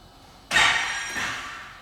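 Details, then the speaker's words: Wildcat XX side-by-side, battery recharged after sitting dead: key turn gives one sharp clunk, then no cranking, same as before at the lake; cause unknown, owner suspects hydro-lock and says it might be time to pull the plugs. "Nope. Take that as a no. That's what it was doing up there at the lake too, so I don't know what it is. It might be time to pull some plugs and make sure something ain't in there hydro-locking it, because that's what it sounds like."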